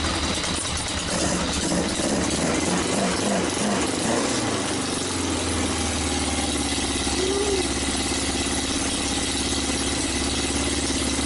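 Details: Yamaha XJ900S on first run in 10 years: uneven idle with irregular, lumpy beat and occasional stumbles. Rough sputtering idle, cause not confirmed.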